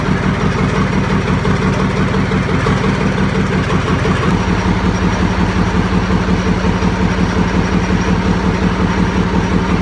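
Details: YaMZ-236 diesel, first start after full overhaul on a makeshift test stand with pressure measurement: even diesel clatter, steady beat settling to a slightly different speed partway through; smooth healthy idle.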